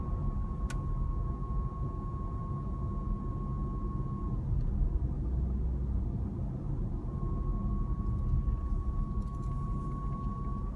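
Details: 2014 Jeep Grand Cherokee WK2 coasting: thin, steady, fairly high whistle over road rumble for several seconds, fades then returns; source not pinned down; whistling noise when coasting.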